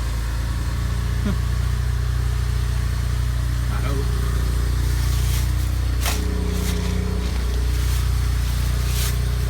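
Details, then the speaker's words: 2007 BMW 335xi N54 with 135,000 miles, idling after first start following turbo replacement: deep, steady, even rumble with no wastegate rattle from the turbos. Healthy idle. "so it should be a pretty quick car for what it is all right guys I started I don't hear any wastegate rattle"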